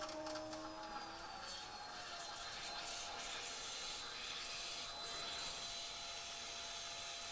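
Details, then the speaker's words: 2004 Ford Mustang with a newly replaced fuel pump, run by remote with the car raised and not run for years: a faint thin electric whine with a gurgling hiss. The pump is cavitating on air in the fuel lines while pressurizing before the car is driven. "And you can hear there's a lot of air going through the system right now, so we'll run it until it sounds like there's no more air in there."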